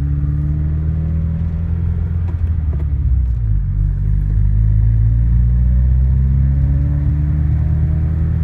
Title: New engine piston slap